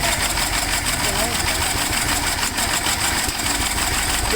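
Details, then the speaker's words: Gravely tractor engine first start attempt after magneto points cleaned, over-primed with fuel; uneven popping and sputtering as it catches and struggles to clear, smoking from two-stroke mix. "you know me with the two-stroke anytime I go to Prime something I always over Prime but it's doing something so at least it's doing something so that's that's cool"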